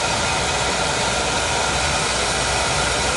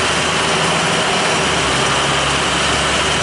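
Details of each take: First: Oil boiler burner that had run out of oil, bled and running on a jumper: steady heavy roar with strong hiss, no pulsing, not choked; sounds like an oversized nozzle, to be swapped for a smaller one. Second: Oil boiler burner that had run out of oil and previously sputtered, after a service visit with good draft over the fire: steady, even roar of flame and fan with no pulsing, rumble or sputter, a little crusty but working, normal.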